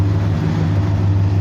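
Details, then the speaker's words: Ford 5.4 Triton V8 idling smoothly after fixing vacuum leak causing lean codes (intake manifold hose/grommet): deep even rumble, earlier idle hesitation gone, check engine light off. "the sound motor sounds good too i don't hear any of that little hesitation anymore before i had a little bit of a hesitation in there when it was at idle"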